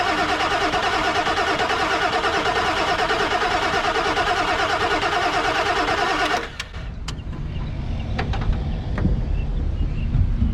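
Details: Non-running 1997 Ford F250 4x4 with 7.3L Powerstroke diesel: about six seconds of steady starter churning, roughly three turns per second, no firing; cranks but won't start. Owner thinks it ran out of fuel; sensor, injector or high-pressure oil issue suspected, unconfirmed.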